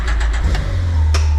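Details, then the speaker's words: 2026 Can-Am Defender HD11 that only clicked with a fully charged battery, after replacing the starter relay under warranty: a few quick cranking beats, then it catches and holds a steady low drone, no clicking; starts normally. "And the click click click is gone."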